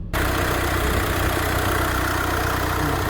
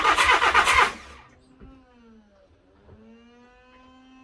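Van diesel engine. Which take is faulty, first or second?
second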